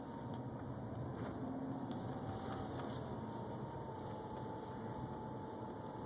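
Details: 2011 BMW 328xi with a faint steady high-pitched whine over the low running noise, pitch unchanging; source unknown.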